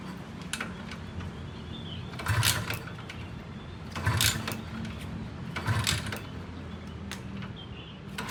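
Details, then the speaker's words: Kawasaki Ninja 150 two-stroke idling after changing from original Kawasaki 2T oil to Motul 510: steady buzzing idle, light rattle, swelling burst about every 1.5 s; owner says clicking seems engine-side, not the fitted filter; cause unclear. "ini suara saat mesin dalam keadaan idle, teman-teman. Terdengar seperti ada suara berderak atau bergesekan."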